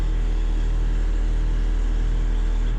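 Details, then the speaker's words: 2007 Haas VF3-SS CNC mill with 5th axis, bought sight unseen, maintenance lacking, jogging the Z axis at a feed rate where it is worst: deep steady drone with faint pulsing hum; Z-axis oscillation, ball screw, support bearings or servo motor suspected. "So the most obvious issue and the easiest to show is when jogging the Z-axis, you can hear that sort of oscillation,"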